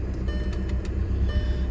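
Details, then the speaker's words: VW TDI common-rail diesel after injector cleaner and a 160-mile drive, started in mild night weather; even steady idle clatter with smooth low drone, no misses or hunting, starts much nicer than before; normal diesel idle. "That was actually nicer. Way nicer. Now it's not really cold out though."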